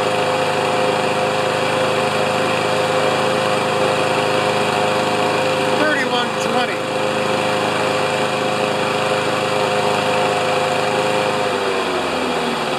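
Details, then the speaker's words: Older Honda mower after repair, started on choke, dirt in carburetor suspected: steady high governed drone around 3160 rpm, target 3100–3200, brief sputter near end. Normal running. "I'm gonna start it and we'll just check the RPMs if they're over 31 to 3200 I'll be a happy camper"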